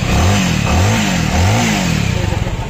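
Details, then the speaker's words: Bajaj Avenger motorcycle after engine oil refill: clean throttle blips, pitch rising and falling smoothly, no clatter or knocking; normal engine revving. "देखिए इसका engine का sound जो है बिल्कुल सही है जितना रहना चाहिए बिल्कुल सही"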